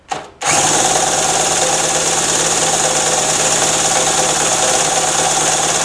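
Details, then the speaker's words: Harbor Freight mini generator, about 7–8 months old, stored with fuel valve open, cranked by a drill via extension, choked: steady fast spinning, no firing; has spark and fuel, spark plug flooded. "let me choke it to that all right that's not working not even a kick I got sparked though and it's getting gas because the spark plug is flooded"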